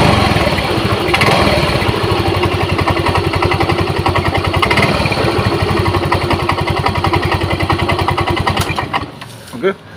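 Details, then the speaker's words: Yamaha Mio M3 scooter at idle, weak battery: coarse, uneven rattle over the engine beat, harshest at idle and on initial throttle; traced to a worn CVT component. "posisi langsam itu suara suaranya cenderung lebih Kasar banget"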